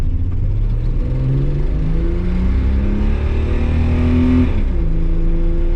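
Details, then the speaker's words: Nissan R31 Skyline TI, first drive in over three years, exhaust leak near passenger footwell, bit rough down low; at full throttle the engine climbs smoothly with a steady even drone, pulling cleanly on all six cylinders; normal acceleration. "a little bit jittery down low but other than that like once you punch it it Chimes on all six it goes"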